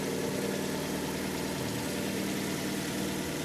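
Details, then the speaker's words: Fiat Albea petrol engine idling steadily and evenly with no knocking after retightening loose exhaust manifold studs, which had caused knocking after cold start until warm; normal idle. "работает приятно В общем у кого будут такие симптомы обращайте внимание на затяжку шпилек выпускного коллектора под этим термокожиху"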